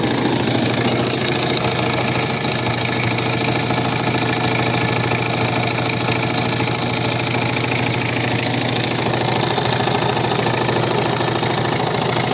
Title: Стук в двигателе. Что это может быть? Viper Active.